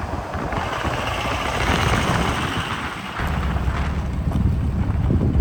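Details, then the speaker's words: 1984 Chevy K5 Blazer (ex-CUCV) with Cummins 4BT diesel and newly installed compound turbo kit, full exhaust, first test drive under load: smooth steady low drone with wind, no knocks or misses; turbos spool at decent rpm, less smoke; running healthy. "So we just got back from the first test drive, and it's running pretty dang good. The turbos come on and spool at decent RPMs."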